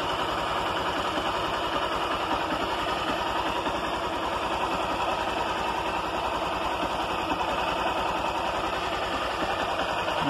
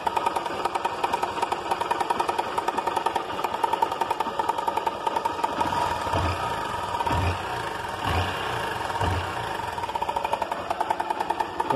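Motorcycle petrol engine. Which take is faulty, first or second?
second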